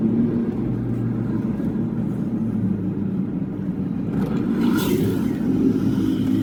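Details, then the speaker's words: Toyota Hilux automatic transmission on a test drive after repair for internal grinding and delayed engagement: steady, even drive hum with no grinding or metallic scrape under road noise; engagement now consistent. "Kahit diretso dati minsan may kapit minsan wala tsaka yung nalagipik na parang bakal wala na 'yan. Wala na 'yan sa akin."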